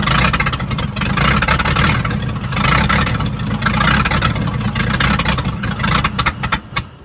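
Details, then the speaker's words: 1950s Dodge dump truck inline six, sitting 30–40 years, hot-wired, hand-fed fuel, leaking gas, cracked exhaust manifold, makeshift plug wires: loud ragged firing, uneven and faltering, then dies from fuel starvation; runs but needs fuel pump line connected. "it's gonna die but it does run undo the hot wire and turn the ignition off so won't run the battery down but it does run"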